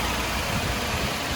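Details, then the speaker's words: Toyota 4Runner 4.7L 2UZ V8 running on the bare frame after body removal and harness reinstall, no cooling system fitted, after fixing a shorted main ground; steady even idle with no ticks, healthy engine. "so we have a running and driving frame can't leave it running long because i've got no cooling in it but she sounds good there's no ticks"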